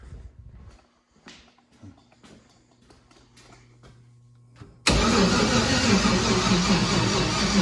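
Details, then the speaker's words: Junkyard LS turbo engine on methanol with Holley ECU, first fire attempt: slow, dragging starter churn that never catches; battery too weak to crank, no start. "Okay, so the battery is not as good as anticipated."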